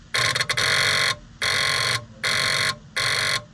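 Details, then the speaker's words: 1967 truck with no brake lights or turn signals: each time the turn signal is switched on, a box gives four harsh shrill buzzes about a second each; unit presumed bad. "I'm trying to diagnose a no brake light or turn signal issue with this truck. It's a 67, one of Hannah's. And whenever you hit the turn s signal, this box right here"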